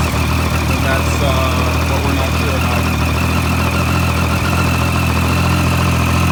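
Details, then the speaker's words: 2013 Triumph Street Triple R 675 at startup idle: dull, uneven thumping knock from the bottom end of the engine; the engine is to be pulled to find the cause. "the reason why is that there's a thumping and knocking sound coming from the base so to all 2013 triumph riders a motorcycle shouldn't necessarily sound like this"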